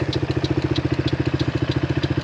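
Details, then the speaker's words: Hammerhead 250cc go-kart engine idling with an even, steady putter of about twelve firings a second, no misses or stumbles; runs pretty well and not rough, normal idle, though the owner still plans to clean the carburetor. "the engine actually seems like it's running pretty darn well I have to say it it doesn't seem too rough"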